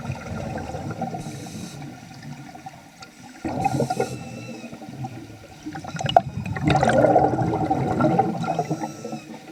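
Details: Vintage Nemrod Snark III double-hose scuba regulator on a pool dive making strange sounds never heard before, though it still worked very well; bubbly exhale bursts with a brief rising whistle and a moaning note between breaths, cause unclear.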